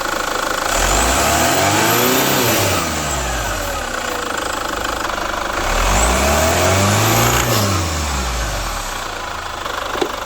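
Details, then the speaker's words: Chevrolet Captiva FL diesel, weak pull and hard cold starting, revved: pitch follows throttle with a rough growl from the turbo; turbo leak and stuck actuator lever found, fixed by cleaning, new turbo hose, injector seals. "kita sudah coba running yang pertama yang kita temukan yaitu tarikan awalnya terasa berat yang kedua ada suara ngorok di turbonya"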